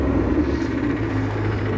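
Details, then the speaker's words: Daily-driven BMW E92 M3 at idle: uneven rumbling drone and grumbly hum over the engine note instead of a normal idle, caused by a failed AC compressor bearing, fixed before it could cause serious damage. "that is not a normal Idol for e92 M3 and basically you know getting straight into this actually it's the AC compressor uh which is the problem"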